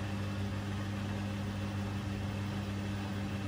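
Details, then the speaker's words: Bosch Serie 4 washing machine, four months old, on 30-minute super quick wash, heard about two feet away; drum spools into fast spin, possibly short of the full 1400 rpm, with a smooth, even low hum and no knocking; normal spin. "its full spin we're sort of into a pretty fast spin there now i'm not sure if it's the full 1400 i don't think so but it is a pretty fast spin"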